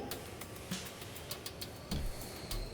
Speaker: There ain't no noise. It's perfect. One and done.